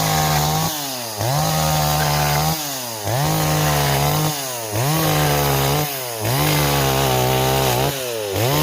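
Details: Stihl 026 chainsaw on an 18-inch bar, cutting wood: pulls hard and steady through repeated cuts, pitch dropping under load and recovering about every two seconds; clean, strong cutting.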